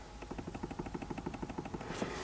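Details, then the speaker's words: Toyota Camry 40, engine off: sharp regular knocks about eight per second as the steering wheel is rocked, a dull hollow clack from play in the worn intermediate steering shaft splines. "И начинается на некоторых ямках, вы можете слышать такой, знаете, стучок."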